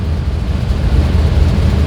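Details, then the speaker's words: 2001 GMC Yukon 6.0L V8, about 23 years old, at idle: deep, lumpy, uneven pulse with irregular stumbles; gauge shows severe misfire on cylinders 4 and 5, small misfire on 6 possibly affected by 5. "but you see like four and five is missing severe misfire you see"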